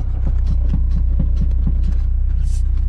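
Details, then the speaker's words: Honda Prelude while driving: steady low thumping about four times a second under road drone, a loose front-end knock; owner suspects worn-out inner tie rod, not confirmed; car also has no power steering. "feels like there's no inner tie rod left so hopefully we can drive this to the shop"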